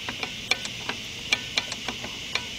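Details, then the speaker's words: 2002 Chrysler PT Cruiser rear drum brake: the star-wheel adjuster is turned with an adjusting spoon, giving sharp, bright clicks in uneven bursts. Normal while setting the shoes to just touch the drum. "I'm gonna reach my spoon here and now I'm gonna be turning like that either clicking"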